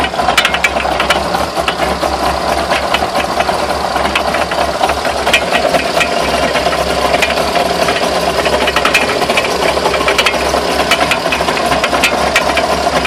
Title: Что за стуки?Можно ли считать привода кривыми?